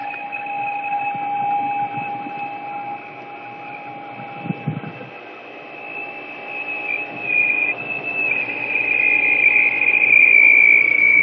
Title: Holland Pools strange noise